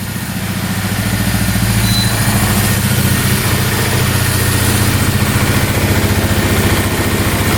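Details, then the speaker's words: 2002 Polaris Magnum 325 4x4 ATV, bought as a non-runner needing a carb clean, after first start. The single-cylinder idles steadily and evenly at about four beats a second with no knocks or misses and no smoking; sounds healthy. "Yeah, that sounds really good. No smoking. Alright, we got really lucky there."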